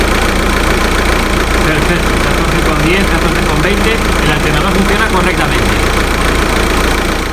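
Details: Audi A3 2.0 TDI idling right after an alternator replacement, battery at 12.55 V, checking for over 14 V charging: steady, even diesel clatter with no knocks, squeals or grinding; the engine idles normally.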